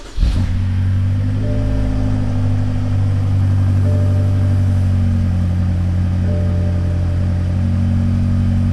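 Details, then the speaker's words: BMW X5 M (N63/S63 V8) first cold start just after a Bootmod3 tune flash; fires instantly and settles to a deep steady fast idle with even exhaust and no tapping, seemingly a bit louder with the tune, a normal cold start. "Alright guys, first impressions. Just want to hear the cold start, see how it sounds."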